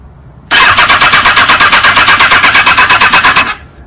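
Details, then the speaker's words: 2005 Kawasaki ZX6R 636cc fuel-injected engine in a wrecked bike, in neutral, oil half-full, fuel low: about three seconds of fast cranking, roughly seven pulses a second, never fires; no fuel pump heard, connection suspected. Crank no start. "I didn't hear the fuel pump at all let's take a look here the connection shred it again"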